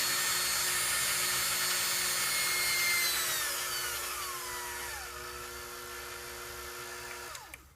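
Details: KitchenAid seven-speed mixer after replacing a capacitor: a clean, high motor whine holds steady, then winds down smoothly when switched off. Normal motor run.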